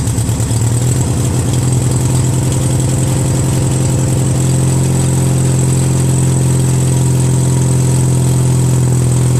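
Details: Craftsman DYT4000 tractor, 14hp Briggs opposed twin repower, electric PTO tested with deck belt removed: engine picks up slightly then holds smooth steady low hum, no misses or bogging; PTO works, belt tension suspected of preventing engagement.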